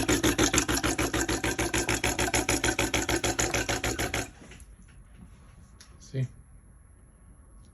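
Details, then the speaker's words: DeLonghi espresso machine stuck in a descale cycle; fast, even pump buzz pulsing steadily for four seconds then cutting out, moving little water from tank to steam wand. Pump suspected weak. "the pump doesn't let the water pump from the tank to the steam wand it's pumping a little bit but not enough and now it's back to the same thing"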